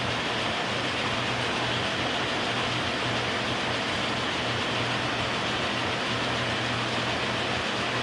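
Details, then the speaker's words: K&T milling machine after oil-system flush and refill with oil, oil pump flowing: first clutch engagement in a long time, spindle at its lowest speed. Steady, even hum over a low drone, no knocks or grinding. Normal running. "First time in a long time. It's awesome."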